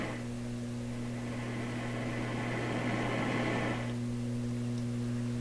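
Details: Loewe Opta Type 5966 radio after the power supply filter capacitors were replaced, speaker connected. A loud, constant low hum with a higher buzzing overtone remains under the hiss. Mains hum.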